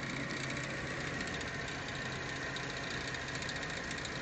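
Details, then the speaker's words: BMW E46 M3 at warm idle, noise appears after warm-up; fast, faint ticking knock over the engine note, seeming to come from one side; owner wonders if something inside the intake manifold got caught or broke, source unclear. "The noise sounds like it's coming from over on this side. I don't know what. I'm wondering if I should pull off my intake manifold and try to find out what it is."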